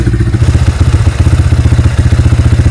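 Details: Yamaha Vixion whose engine ran rough from oil starvation after a leaking clutch-cover gasket, after the piston and cylinder block were replaced: the single fires in a crisp, even beat and picks up cleanly on throttle blips, no piston slap or rattle, like new.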